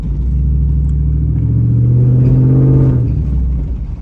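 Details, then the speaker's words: 3rd-gen Ram truck driving after a power steering fix: full-lock turns give only a steady, low engine rumble and suspension noises, with no pump whine or groan. The fix is successful. "makes no power steering noises when I turn"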